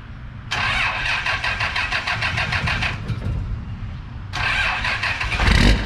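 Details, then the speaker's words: First-gen Dodge 12-valve Cummins diesel in restoration, 4-inch stainless exhaust, piping not yet hooked up under the hood so it may sound off; cranks briefly, fires and settles into a steady, rattly diesel idle. Normal cold start. "Sounds like a Dodge to me. Guys, remember there's not piping hooked up under the hood, so it might sound a little, you know, off, but you fired up, boy."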